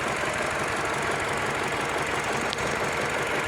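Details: Mini Cooper idling rough and vibrating badly with an unstable, stumbling pulse. The scanner shows a pending cylinder 4 misfire code; the cause is still being checked between ignition coil and engine.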